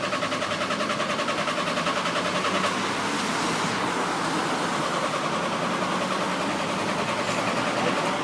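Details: VW Transporter that died in the middle of the road: starter turns the engine over in a steady, even rhythm but it never catches or fires; cranks without starting.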